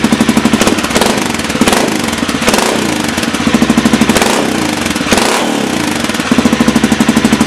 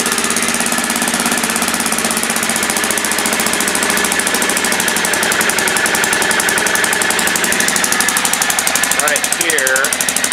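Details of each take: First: Pegaso single running in the shop with a DG oval KLR 650 exhaust can, custom midpipe and spark arrestor. It has a loud, throaty idle thump with occasional blips; owner thinks it may now run slightly lean. Normal idle. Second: 2000 Aprilia Pegaso single-cylinder with stock dual exhaust, cold, idling fast on choke: sharp rapid puffing tick from an exhaust leak.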